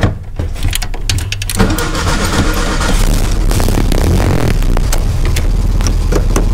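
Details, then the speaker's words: 2013 Jeep Wrangler Unlimited: harsh metallic grinding while cranking, then the engine catches into a rough run; starter gear not disengaging. Idler pulley replacement didn't help; replacing the starter fixed it. "maybe just maybe if we're very lucky might have been the starter starter goes right into the bell housing a little starter motor wheel gear maybe it's not popping down"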